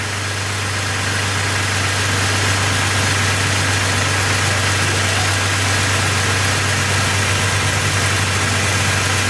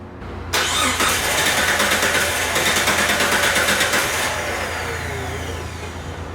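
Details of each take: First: 2002 Jeep Grand Cherokee Laredo 4.0 L, which had been dying while driving and intermittently not starting, idling after crankshaft position sensor diagnosis and repair. Smooth, even idle with a steady low hum and no misses, knocks or stumbles. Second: Vehicle that shuts off while driving and sometimes won't restart, started then died: steady starter cranking about three pulses a second for nearly four seconds, never catches, no communication; crank no-start, crankshaft position sensor suspected.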